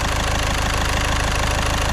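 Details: Caddy at 81,370 miles, started after repair work with no leaks and no engine management light: warm idle with a quick, even pulse and no irregular taps or misses; normal idle.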